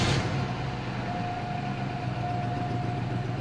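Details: 2003 Cadillac Deville 4.6 Northstar V8 at idle: low, uneven, lumpy idle with faint whine, engine shaking; cylinder 6 misfire (P0306, P0300), carbon-fouled plug, later traced to bad coil pack and clogged front injectors.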